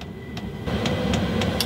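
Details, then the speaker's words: Chinese 5 kW diesel parking air heater in a motorhome just after ignition: sharp fuel-pump ticks about every quarter second over a fan hum that steps up louder as heat reaches one bar; normal fan ramp-up. "So now the heater is fired up and the fan is starting to increase. You can probably just hear it."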